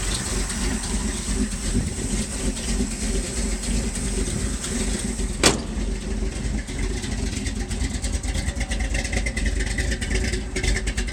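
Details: 1978 Ford F-150 4x4 with a 351M/400, Edelbrock Performer intake, new Holley 4160 with electric choke, Hedman headers and Flowmaster exhaust. Lumpy, ragged rich idle on cold start that smooths out when warm. The choke released too late; adjusting it to release sooner fixed it.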